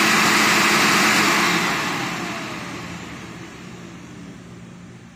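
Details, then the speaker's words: Viper AS710R rider floor scrubber after replacing the burned-out vacuum motor: strong even airy whoosh that fades smoothly on spin-down after a shutoff delay, no grinding or rattle; normal run. "success so the other model was burned up"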